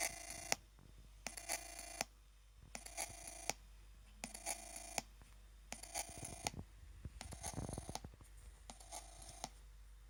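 Short bursts of high-pitched electronic chirping, roughly every second or so with quiet gaps between, a faulty-sounding electronic noise of unknown cause.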